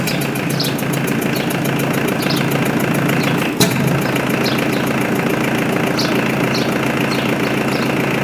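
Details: Mitsubishi L200 K74 diesel 4x4 stored 15 years, recently given new air and fuel filters and oil change, restarted to check revs rise progressively after an unexplained noise that never recurred; settled idle, light regular clatter, no misfire or knock; normal idle.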